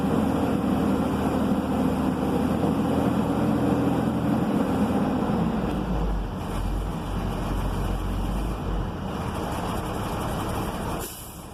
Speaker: And you have to wait for the noise that makes outside, like psh. So when the governor of the air compressor starts to snap the air compressor, is when you're gonna hear that noise, okay?